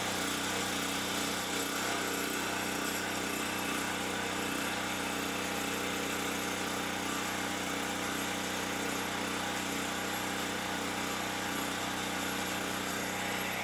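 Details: Champion 3500 W generator after carburettor cleaning, having sat all summer with old gas and run only on full choke; steady buzzy idle off choke, no surging or hunting; normal idle.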